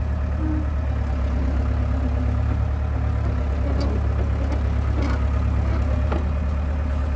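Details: John Deere 490E excavator diesel with Hitachi hydraulic pump in limp mode, computer bypassed: steady, even low drone at constant speed with no sag or stumble; slower but doesn't bog, running normally.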